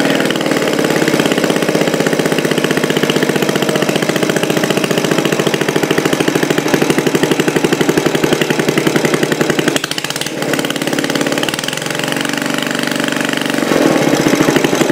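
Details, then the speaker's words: Old Briggs single-cylinder engine for a homemade three-cylinder radial, first start after head refitted and loosening spray applied: fast, even firing about four per second with no stray knocks; smoke only from spray, running pretty good. "Oh, listen to that. H. Yeah, that's pretty good, buddy. That's not too bad."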